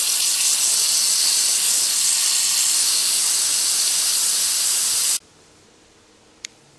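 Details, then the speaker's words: Ford 7.3 Power Stroke diesel, no-start, engine off, high-pressure oil system air-tested to only 245 psi via a homemade tool at the injector pressure regulator: loud steady hiss cutting off abruptly; air leaking past a blown right-side injector O-ring. "I pulled that injector out, and there's where that air was leaking from. Looks like it blew an O-ring out."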